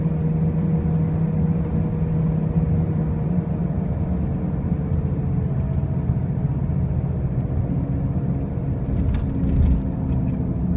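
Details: 2005 Pontiac Grand Prix with brand new wheel bearings and new tires: a constant deep droning rumble at steady speed with no rhythmic knock; a loud noise while driving, origin unclear.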